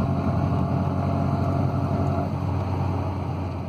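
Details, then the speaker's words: Mini 1275 GT, 30-year-old engine with healthy compression, test drive: chugging drone that stumbles under throttle. Sounds like fuel starvation, but the scope shows the opposite. Hesitation under acceleration. "So here's the test run, I'll let you hear it. You hear that? Oh, it's like fuel starvation."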